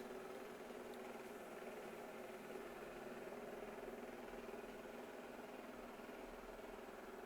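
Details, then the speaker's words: Shark AI Robot RV2001DRUS vacuum running after removing and cleaning hair from its roller brush to clear error 2: steady, even whirring hum, no knocks; working again, a bit louder than before, possibly the brush reseating. "it looks like we are back in business it's a little bit louder than it used to be maybe that brush is uh of getting seated back in"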